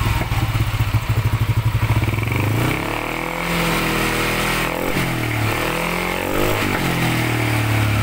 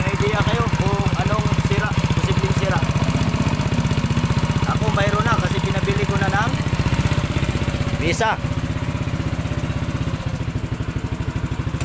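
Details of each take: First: Yamaha NMAX 155 with a remapped ECU, first fire after repairing a noisy-engine complaint. Even thumping idle, then throttle blips that rise and fall smoothly, no ticking or rattle. The idle sounds right. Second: Yamaha NMAX 155 scooter at steady idle with a noisy engine: rapid, fairly even top-end clatter, about four beats a second; worn rocker arm roller and cam lobe.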